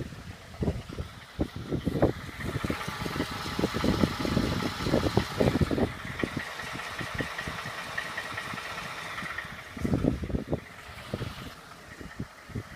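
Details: 2012 Ford F-150 5.0 V8 at idle: sharp knocks in fairly even bursts over a smooth idle, a knock deep in the engine, cause not pinned down.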